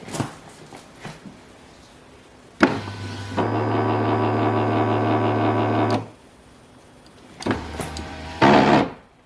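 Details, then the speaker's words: 2005 Mazda 3 driver's side power window running with a loud droning hum and harsh buzz, going down OK but struggling to go up; faulty power window motor. "so this has problem is window is not going up and down they're making it's a bigger loud noise"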